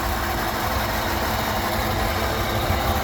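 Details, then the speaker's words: Chevrolet Caprice running after water pump change, coolant flush, new alternator and belt: steady idle with a constant rough whirring hum, no knock; noise first blamed on the alternator is definitely from the AC compressor; noise at idle. "I thought all that noise was coming from the alternator it's not it's definitely coming from the AC pump"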